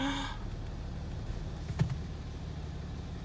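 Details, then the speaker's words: BMW 530d first start after a broken timing chain rebuild with a replacement cylinder head, new head gasket and rockers: low, steady diesel rumble settling into an even idle with no knocks or rattles; engine sounds healthy. "She's alive!"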